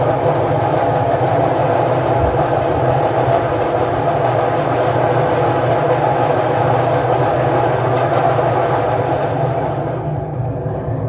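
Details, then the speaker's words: Washing machine spin test at 800 rpm after reassembly. A loud, steady rushing roar with a rough rumble underneath that eases off at the end. The drum is very noisy and the bearings are to be checked. "so the drum is very noisy uh let me put it [Music] off so you can see the the only problem left is the drum is very noisy so we will check the bearings"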